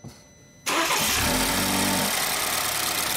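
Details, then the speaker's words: 2013 BMW X3, earlier crank-no-start, with original module refitted (new module not needed): engine fires at once, flares briefly, settles into steady even idle; normal start and idle. "you can hear, the engine sounds good. So this is the new module."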